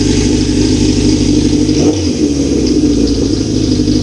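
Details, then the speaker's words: 1981 Suzuki GS650GL after carb rebuild with pod filters, slightly warmed up: smooth even four-cylinder drone with brief throttle dip and recovery, runs healthy; tachometer not working so rpm unknown. "she sounds good problem is I don't know what RPMs we at because the tack doesn't work"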